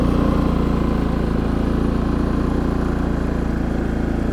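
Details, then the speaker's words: Harbor Freight Predator 3500 inverter generator after an oil change and a new NGK spark plug replacing the factory plug (15 hours, gap too small): runs smooth, even and quiet with a steady low putter, same as before. "the machine is now running and it definitely sounds good, but I wouldn't say it sounds any better or different than it sounded before. It sounds just the same, which is nice and smooth and quiet."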